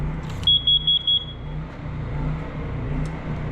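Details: Four quick, evenly spaced shrill beeps from a smoke/CO detector over the low drone of a small generator running indoors in a large uninsulated building with a heater at about 108–180 °C; owner unsure why the alarm started.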